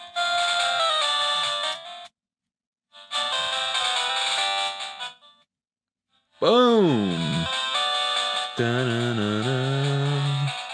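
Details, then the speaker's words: Game Boy Color speaker after fixing crackling sound: bright chiptune music plays clearly and louder, with no crackle or dropouts. Clean speaker output. "there we go it's a lot louder too probably because we resolder the wires"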